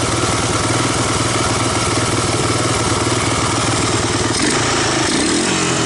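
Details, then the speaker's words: 1985 Honda ATC250ES Big Red single-cylinder after carburetor swap and adjustments, warmed up, choke off, valves untouched; steady, even idle with a consistent beat and no stumbling or hunting. Normal idle. "it's not bad not a bad idle chokes off warmed up at this point"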